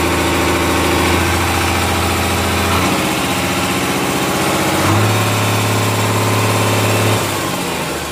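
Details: Komatsu S6D125 six-cylinder diesel test-run after general overhaul for a broken piston, spun conrod bearing and scored crankshaft: heavy, even chugging that rises and settles as it is revved, steady beat, no knocks; normal running.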